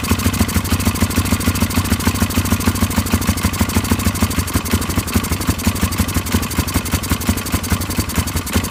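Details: Polaris 500 HO single-cylinder ATV that came in as a no-start, with awful-smelling old fuel and mouse droppings: quick, even putter with a steady beat and no misses or knocks; idles cleanly and runs healthy.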